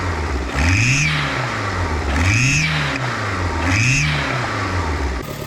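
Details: Turbo engine, mic placed on top of the turbo, revved hard into boost with backfire pops: a high squeal rising and falling with engine speed over the exhaust; owner suspects a boost leak near the turbo.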